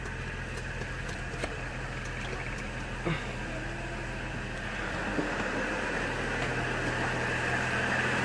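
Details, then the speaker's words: 2004 GMC Envoy 4.2L (~255,000 miles), first startup after about 4 weeks of repair (clogged oil pickup, timing cover/oil pump, harmonic balancer); oil pressure about 70–75 psi. Smooth quiet idle, earlier top-end ticking gone. Normal idle. "Let's see here. Everything seems to be running smooth. You know, I don't hear the tick, tick, tick, tick, tick noise that it had kind of on the top end."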